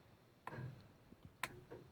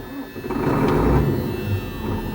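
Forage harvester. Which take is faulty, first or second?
second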